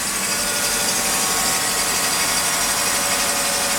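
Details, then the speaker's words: Mercedes M104 with ETA throttle-body wiring bare of insulation at the bend (suspected false sensor readings), cold start after sitting a day: smooth, normal cold idle, louder from the running secondary air pump's even hiss and whir. "Air pump is on right now, so it's a little louder."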